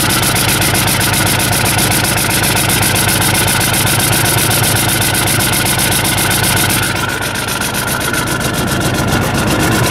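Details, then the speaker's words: 1990 Ford F-Superduty with naturally aspirated 7.3 IDI diesel, after hard start and white smoke: heavy clatter with uneven, lumpy beat near four pulses a second, weak sound. Rough idle attributed to a failing injection pump. "sign number three a rough running engine so now you got everything you got the hard start the white smoke and the rough running it'll also sound weak like really weak like soy boy"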